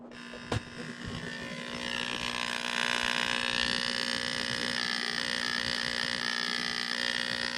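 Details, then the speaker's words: Aquarium pump found switched off, plugged back in; steady electric buzz with a faint rattle and no sound of air moving, still getting power but not pushing air out; air pump buzzing with no air output, pump bad. "It's really not pushing any air out. The pump is bad."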